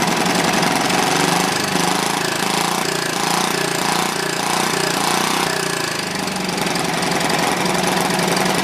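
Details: Old, worn Clinton B700-series single-cylinder engine (model B704, possibly ex-rototiller), choke on, gives a steady, busy rattling run that stays even and unbroken throughout; running properly now, a tad smoky.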